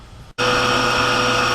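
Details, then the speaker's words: Cottage water pressure pump with foot valve in the lake, primed using a submersible pump, filters not yet fitted: steady, even hum and whine at constant pitch, no surging or cavitation; normal run. "shut off it's ready the way it should look when you turn this on Punk should cut cut off that means that everything is working up to here"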